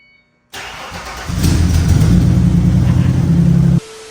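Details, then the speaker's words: Chassis-swapped 1965/1966 Mustang started for the first time in about six months: quick crank, then it catches and settles into a deep, steady idle without misses or knocks; a clean, healthy start. "First start in probably 6 months."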